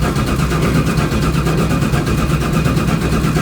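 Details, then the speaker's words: Chevy Nova with low voltage even on two batteries, 16-volt battery on order; heavy, labored, slow churning crank that drags on without catching, slow cranking from low battery voltage. "Batteries in the mail. That should solve the cranking issue. This thing just cranks forever."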